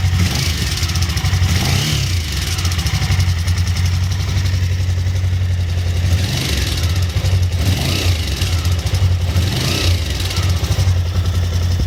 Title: Ticking sound V-strom DL1000